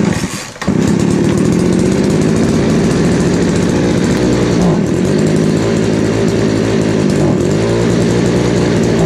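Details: Craftsman 3.7/Poulan 3700 chainsaw after fitting a new eBay carburetor and fuel line: holds a fast high idle, then sags when throttled instead of climbing; bogging, with L, H and idle screws needing adjustment.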